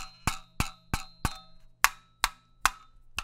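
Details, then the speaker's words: Cheap (about seven dollar) knockoff Clapper sound-activated switch, unplugged and shaken: hollow plastic clacks, about three a second, following each shake; something loose rattling inside the cheap housing, cause not confirmed. "but i mean can you hear that i mean it's like you can hear it like rattling kind of yeah this is terrible"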